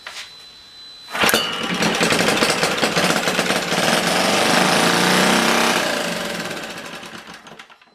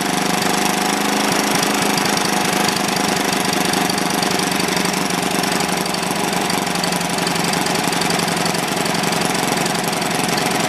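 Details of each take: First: Old, worn Clinton B704 single-cylinder engine, throttle linkage tied to hold about 1/2 to 3/4 throttle: sharp catch, a few seconds of ragged high-pitched buzzing, then it fades and dies with a puff of smoke; fires on primed fuel but won't keep running. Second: Old, worn Clinton B700-series single-cylinder engine (apparently model B704, possibly ex-rototiller), choke on, runs at a steady speed with a fast, even patter and no stumbling; running properly, a tad smoky.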